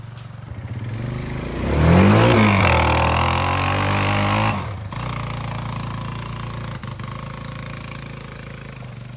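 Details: Barn-find Kawasaki Bayou 220 ATV on test drive after repairs (filthy carburetor cleaned, new battery, oil and air filters, rear right wheel bearing and seal): single-cylinder pulls cleanly through a rev then settles to even steady run, no knocks or clatter; running really good.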